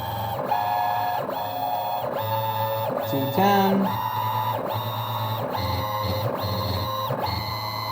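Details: Hybrid stepper on CNC axis under load test with rag friction applied; repeating moves under a second apart, each a singing tone that climbs and levels off; stepper runs cleanly.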